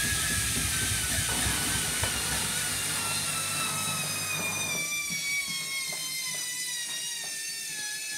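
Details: Hotpoint Smart Tech washing machine, Eco Cottons program: a high whine climbs in pitch as the drum speeds up through the spin over a low rumble; abnormally noisy spin.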